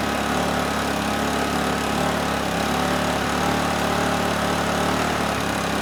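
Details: Honeywell HW2000i 2000-watt inverter generator, circa 2002, hard starter now starting in two or three pulls: steady, even idle with no hunting or surging; idles down fine, carburetor not suspected.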